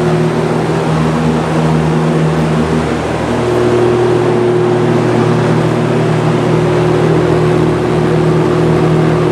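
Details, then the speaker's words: Vintage 1970s Lakewood S-223 box fan, 2.3 A Westinghouse motor, on high after warming up: steady low hum with buzzing tone under the air rush; motor hums quite loudly when warm, owner unsure if normal. "not sure if you can hear the motor humming or not but it's quite noticeable"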